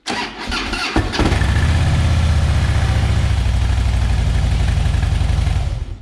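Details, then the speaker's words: 2007 Harley-Davidson Softail Deluxe, 96 cubic inch Twin Cam, at startup: harsh clanking clicks as the starter spins the V-twin, then a loping idle; bad compensator, to be replaced with a compensator eliminator. "click click click hear that clanking noise that is the twin cam compensator issue"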